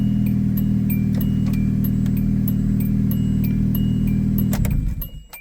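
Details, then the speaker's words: 1998 Hyundai Tiburon, 1.8L inline-4, 5-speed manual, 51,875 original miles, still on its original timing belt and water pump: it fires right up to a steady, even idle with a smooth low rumble and no knocks or misses. Normal idle. "But it is running. Does run. Like I said, it fires right up."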